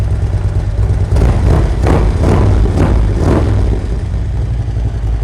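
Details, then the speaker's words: 2011 Harley-Davidson Road Glide with Feuling Reaper cams, ThunderMax tuning, S&S air cleaner: deep loping choppy thump about three beats a second; healthy cammed V-twin idle. "It's got that nice Harley thump back. You just don't have that with the stock cams, especially on the M8s."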